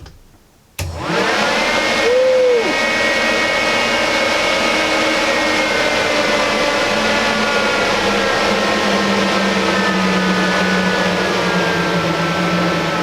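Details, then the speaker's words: Off-grid cabin whole-house DC fan on a newly installed PWM motor speed controller, turned down: spins up to a steady, smooth airy hum of constant tone; runs evenly and quietly at reduced speed. "Well, there you go. Any level of noise you want. Still running. I mean, I doubt you could even hear this from 10 feet away."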